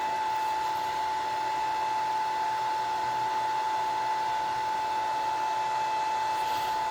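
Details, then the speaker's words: Gramercy Place Garage CO-testing exhaust fan on VFD: after reset, sensors off, it ramps back up and runs at 100% speed, drawing about 10 amps, never over about 10.5; correct with no sensor signal; steady, even mid-pitched hum, no rattle. "10 amps never really exceeded more than about 10 and a half amps it says it's running at 100 speed right now"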